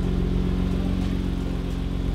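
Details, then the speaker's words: Nissan Skyline GTR left untouched two years, restarted fairly cold after about 40 minutes, during oil change with engine flush added; steady, even idle with smooth quick firing pulse, no knocks or misses: normal idle. "sound too bad [Music] not a bad idle"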